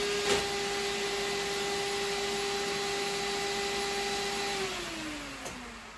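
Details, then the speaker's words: Mazda 323 with 13B Bridgeport turbo rotary, warm at 76° coolant: steady whirring radiator fan hum, winding down after about five seconds as it cuts out near its 70° setpoint; normal fan operation, though the switch was suspected of causing problems. "okay so as you can hear the Fan's going now um I'm just going to wait for it to cool down in temperature see see if it cuts off it's supposed to cut out at 70° at the moment sitting at 76"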